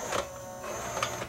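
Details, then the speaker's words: Pioneer CLD-M90 five-CD/LaserDisc changer that will not load a LaserDisc: thin high whine with soft whirring and clicks as the loading mechanism strains without moving properly; the drive belt is slipping. "that operates the mechanism and it's going to be slipping"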